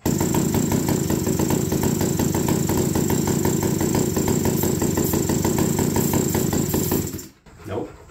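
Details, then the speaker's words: APC mini chopper small two-stroke run with no exhaust fitted; loud rough uneven popping for about seven seconds then dies; owner suspects flooding from a wrong carburettor diaphragm or oversized button after a rebuild. "so this thing is flooding out like crazy hey you think somebody rebuilt it and used the wrong diaphragm and the button too large"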